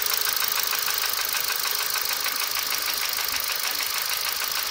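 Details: 1.6 Ti-VCT engine at idle: steady, crisp, high-pitched light ticking about two ticks a second over a smooth engine; source of the tick unclear.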